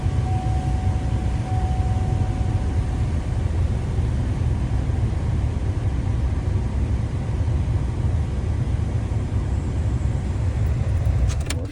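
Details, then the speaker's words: Oldsmobile Alero/Pontiac Grand Am 2.2L 4-cylinder (1999-2005), started briefly after an oil and filter change: a steady, even low rumble at raised revs for several seconds with no knocks or misses. Normal fast idle. "there she [Music] goes the RPMs are up"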